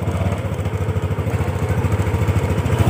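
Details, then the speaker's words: Yamaha NMAX after reassembling all CVT components: small single-cylinder even idle with no scraping or rattle from the belt drive; CVT now sounds clean, slight noise on throttle from an unfitted hose touching the wheel. "iklan untuk dia bagian area bak CVT ya ini cenderung sudah bersih suaranya ya"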